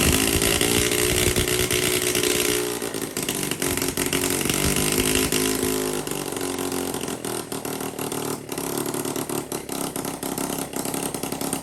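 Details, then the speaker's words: Honda CT70K1 small single-cylinder, first run in roughly 35 years, leaking oil everywhere: uneven buzzing, revs wandering and stumbling; rough running, cause not pinned down. "well it runs not good it leaks oil out of every place it can leak oil but we did hear it run"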